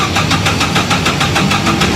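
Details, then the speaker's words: Four-cylinder engine cranked on the starter with throttle slightly open, a recorded good example: steady, even beat of about six pulses a second with no lighter or uneven strokes; even cranking compression across all cylinders. "Okay? And that's what four good compressions should pretty well sound like."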